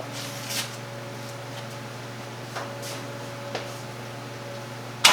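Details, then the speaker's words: Performance V8, first start since the event: steady even idle with faint light ticks from the belt tensioner hitting itself; good oil pressure, normal idle, no rod knock. "That little like knocking noise that you hear, that's just the belt tensioner like fully hitting itself."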